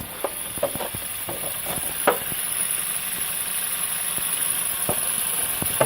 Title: Tsi 1.4 122ch bruit moteur sans courroie accessoire